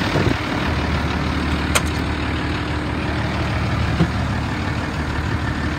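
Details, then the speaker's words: 1988 Ford F-800 crane truck, 7.8 L diesel, 5-speed manual, 14,329 miles, warm after an hour running, revved: strong steady low rumble with no knocks, misses or rattles; healthy running. "the motor sounds good it Reds up nice"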